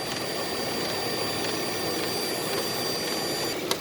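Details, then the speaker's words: 2013-era Nissan Pathfinder, right-side (AC) cooling fan running: loud, steady roar with a constant whirring tone and a buzzy shake; the fan assembly vibrates and clacks and is failing. "there the whole thing is vibrating"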